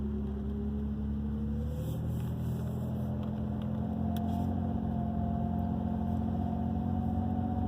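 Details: 2002 Ford Ranger with a faint whirring tone that rises and settles for a few seconds at the start of driving when cold, gone completely once engine temperature is up; source unclear; noise when cold.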